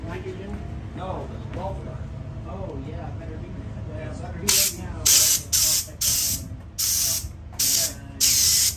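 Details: Extra aerobatic aircraft smoke-oil line, clogged by debris, being blown out with compressed air: loud hissing air bursts, about eight in five seconds, with wet spitting and sputtering as debris clears.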